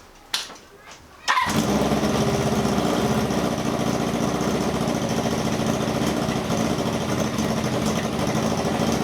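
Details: 1978 cafe scrambler at a busy idle with quick, light ticking over the exhaust pulses. The exhaust is leaking, but the ticking worries them and they suspect it comes from inside the engine rather than the exhaust.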